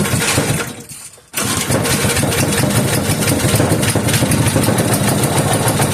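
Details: 3hp Briggs and Stratton horizontal-shaft engine, started on choke with new treated fuel and no fuel put in the cylinder: cranks, dips briefly, then catches and settles into a steady, even idle with no misfires. Already a runner.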